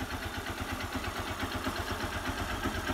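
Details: Honda Bros motorcycle after engine rebuild with new cylinder sleeve kit, valves, gaskets and oil, previously smoking and leaking oil at the exhaust: steady, even single-cylinder putter at low idle with no knocks or misses; normal idle.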